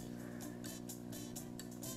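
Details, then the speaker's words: Mains hum through a TL072 op-amp audio circuit powered by a poor supply with about 3 V ripple per rail; a steady low hum sits under faint music because the TL072's supply rejection is poor, worse than an NE5532. "wow listen to that hum the tl-072 has pretty horrible supply rejection because it's letting a lot of hum through"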